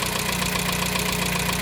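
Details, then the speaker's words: 1987 Dacia 1310 (Renault 12) at idle with coolant temperature still low: a light, regular ticking knock over the engine note; crank bearings were replaced without improvement, cause unknown. "Ăă bătaia m a neștiind ce are m a determinat să i schimb și cuzineții de pe de pe vibrochen Ei erau la cotă Standard"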